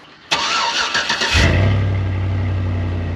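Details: High-mile 21-year-old GMT800 Chevy Silverado/GMC Sierra 1500 V8, first start after fitting used long-tube headers: brief cranking, sharp bark, then deep steady even idle; sounds really good, though a spark plug boot may be bad.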